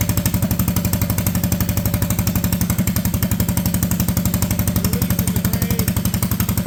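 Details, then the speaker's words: Junkyard Honda Odyssey go-kart with a cheap replacement engine and new clutches, park brake set: even single-cylinder chuffing at idle, roughly four firm beats a second with no misses or hunting; a healthy, steady idle. "so we'll start it up here and see if it wants to walk away at I idle got park brake set"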